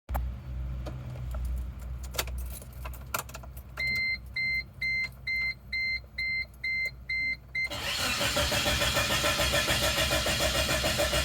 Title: Chevy Tracker '98 crank no start